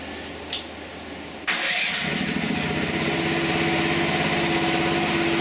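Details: Mini excavator engine with hydraulic motor disconnected and the two hoses tied together: starts and settles into a heavy, labored idle, loading down about the same as with the motor attached.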